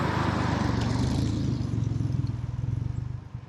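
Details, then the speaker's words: DeLorean test drive after welding and refitting a loose flange, a weak flange and a broken header flange: steady low engine burble with no ticking exhaust leak, now quiet enough for inspection. "And there we go. My car is quiet again. Well, quiet is a strong word, but at least I can get it inspected."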